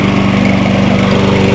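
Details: Toro 22-inch Recycler mower after reassembly, burning off excess oil: rapid, even single-cylinder putter holding one steady speed, no stumbles or surging; normal idle.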